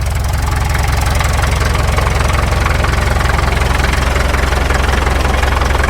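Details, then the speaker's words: 1951 Caterpillar D2 diesel tractor, 5U7968, at first start after checkover: strong, even clatter at about four beats per second with no misses and no smoke; fuel pressure still low, transfer pump check valve suspected. "That sounds pretty good. No smoke. We've got oil pressure yet."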